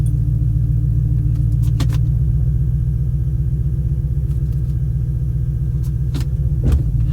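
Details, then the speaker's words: Audi RS6 after repairs, compression raised, valve improved but not perfectly cleaned; idling in neutral before full warm-up, low steady rumble, even beat, few light clicks, relatively smooth. Normal idle. "Yeah, it does feel relatively smooth. As I think I mentioned it, the valve isn't perfectly cleaned up, but it's significantly better."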